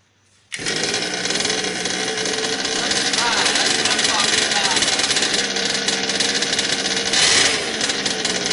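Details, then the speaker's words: HPI Baja 5T RC car, a Craigslist buy, on first start after a carb rebuild, new fuel lines and a new pull start, pinion gear not yet fitted. The small two-stroke buzzes fast and steady with a raspy crackle and never drops off. Idle is set too high and the carb needs adjusting down. "still need to put on the pigeon gear adjust the carburetor a little bit and bring that idle down but aside from that it started right up"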